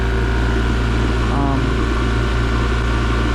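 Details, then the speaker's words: Repaired oil-lubricated compressor running after cut-in: even, steady pump hum with no banging, knocking or popping. Sounds healthy. Low oil causing overheating and seizing was suspected as the original fault. "all right that's how it should sound it's just really uh no banging or popping"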